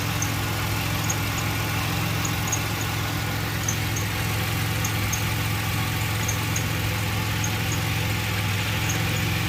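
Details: 2006 Pontiac Grand Prix 3.8L V6 idling after a coolant top-up with heater on and bleeder open: low idle rumble with a slightly uneven lumpy beat, shaking quite a bit; owner suspects a blown head gasket because of a lot of coolant bubbles.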